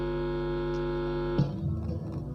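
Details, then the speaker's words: Power amplifier playing on one side only, probed along the right-channel signal path: steady low mains hum with buzzy overtones, crackly probing noise and only faint sound at the stage; mains hum with weak signal. "นี้ก็จะมีเสียงนะครับอ่ะแต่เสียงเบานะครับ"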